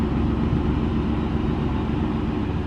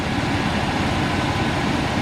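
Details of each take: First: Old rusty Chevy pickup being revived after sitting, which was very difficult to start on the previous attempt; dull, uneven cranking rumble with no clean catch, slow to fire: hard starting. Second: Old Chevy pickup revived after sitting on a farm: steady, even low rumble with no knocks or misses; the engine idles normally.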